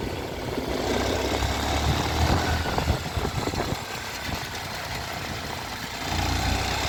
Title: mottu tvs sport 110 com barulho estranho no motor!